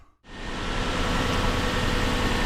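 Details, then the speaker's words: 1995 Lexus LS400, 160,000 miles, just started after intake manifold removal, new fuel injectors and seals, and an ECU replacement: catches quickly and settles into a smooth idle, slightly high while warming up, no stumbling or rich running; engine healthy. "the fired up fine I don't hear any stumbling uh it doesn't seem to be running rich the idle's fine is still warming up obviously so it's a little high"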